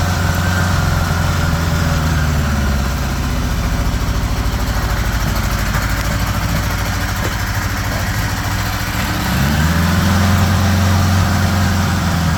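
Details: 1975 Honda GL1000 Gold Wing flat-four after water pump re-seal: smooth, even idle picking up and holding slightly high on choke, steady beat, no knocks; no leaks, much less smoke, sounds pretty good.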